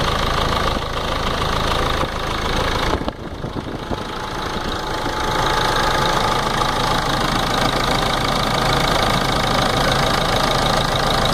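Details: Ford Ranger 3.0 NGD diesel at idle: steady, fairly regular tapping about four per second over the engine note, seeming to come from the front timing case area; engine ticking noise at idle.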